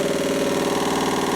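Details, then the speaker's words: Zanussi-type washing machine in test-mode spin, light load: fast steady thumping under a droning spin, drum banging every revolution; tapping at rest disappears when tilted back, banging persists. "One towel is slightly damp, and well, there's horrendous banging still down here."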